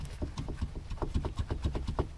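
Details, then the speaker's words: Rear sway bar on a 2010 Nissan Altima hybrid rocked up and down by hand gives quick dull knocks, about seven a second, from worn rubber bushings held by U-brackets bolted to the frame; on the road this becomes a loud clunk over bumps. "that little bit of noise when you're going down the road can end up sounding like a pretty loud clunking noise it's just another one of the clunks and rattles and shakes that you're going to get or noises you're going to get in a worn suspension system"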